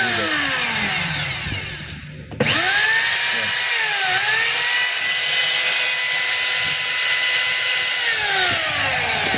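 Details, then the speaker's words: DeWalt D25033 rotary hammer, which has a damaged cord/plug, held so it runs: motor spins up to a steady high whine holding even pitch without grinding or stutter; motor runs healthy. "yung andar niya mga kabay walang problema,"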